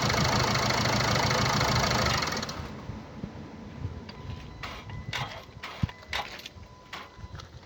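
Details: 2017 Land Rover Discovery V TD4 2.0 diesel (1999 cc, 179 PS, engine R4/2.0TD4), 109,695 km: loud rattly start settling into uneven idle with scattered light ticking and chatter, caused by a stretched timing chain.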